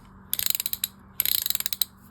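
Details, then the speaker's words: Catalina No 804 spinning reel after cleaning, lubrication and shimming, anti-reverse engaged: two crisp bursts of quick, even clicks with no grit; anti-reverse clicker works properly. "And there is all those components working properly, lubricated. And let's turn on the anti-reverse. There we go."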